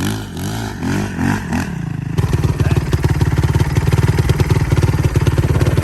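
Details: 2007 Honda TRX450 quad, by the owner's guess, single-cylinder: brief throttle blips then a crisp, steady thumping idle with no clatter or misses; normal idle.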